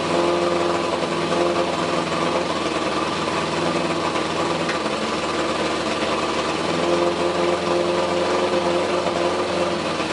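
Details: 1981 Suzuki GS850 fired up after exhaust work and a coil check on a hot day: smooth, even idle with a steady mid-pitched drone and no knocks or misses; running cleanly.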